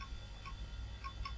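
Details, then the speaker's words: Retro PC with a 440BX motherboard booting from its hard drive: sharp, irregular ticks about every half second over a low hum as the heads knock without settling; failing hard drive clicking. "Right, let's see if this will boot from the hard drive. Okay, hard drive attached, keyboard, mouse. Oh, that drive doesn't sound very healthy at all."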